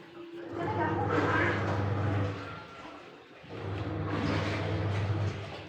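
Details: Aqua single-tub washing machine tested after replacing the faulty original control module with a universal (multi) module; motor hums about two seconds, pauses, then reverses. Normal, regular wash agitation.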